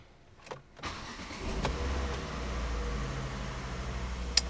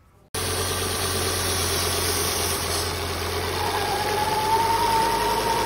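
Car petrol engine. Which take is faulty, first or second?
second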